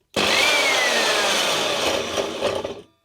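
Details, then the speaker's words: Evolution R210 Rage 3S mitre chop saw, previously reworked armature: high free-spinning motor whir with light rattle, blade hardly turning; suspected sheared armature spindle gear no longer driving blade gear. "the noise and the blade hardly turn and the motor is obviously good i suspect the armature has got a broken spindle on the armature itself"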